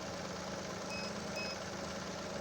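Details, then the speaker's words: Chevrolet Onix LT 1.2 three-cylinder starts fine, then quiet idle with two high beeps as the tester flags excessive cranking voltage drop (9.37 V, limit 9.6 V) from a fairly discharged battery. "Tenemos el equipo que está pitando, o sea, que la caída de tensión fue alta, aunque la batería está bastante descargada. Tenemos 937 la caída de tensión, o sea, que superó los 9.6, que sería lo máximo que podemos tener como caída de tensión."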